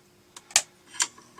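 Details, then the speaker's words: Amiga 500 Plus after fitting a new Gary chip, booting an Amiga Format cover disk: a few irregular sharp clicks and ticks from the floppy head stepping, no steady read; drive gets power and seems to try to read but disk doesn't load, cause unconfirmed. "well the good thing is i heard the disc fire up so it's getting power oh no it didn't it did actually try attempt to read the disc i think though"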